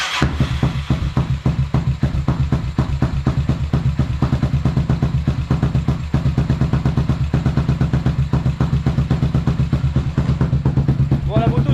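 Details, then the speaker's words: Dominator scrambler single-cylinder, restarted after oil top-up: loping, slightly uneven idle about three beats a second with light clatter; timing chain rattle, owner thinks partly from low oil and present since purchase. "Et j'avais ce problème de chaîne de distribution qui faisait du bruit là, donc je pense que c'est en partie à cause de ça. Et je pense que j'avais le problème dès l'achat en fait."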